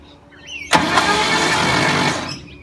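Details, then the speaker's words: Old ZG Ford Fairlane engine, first start attempt after long sitting: sharp clunk then harsh steady grinding starter whir for about 1.5 seconds, no firing; starter sounds bad, cause not confirmed. "starter motor sounds bad is that just a starter motor"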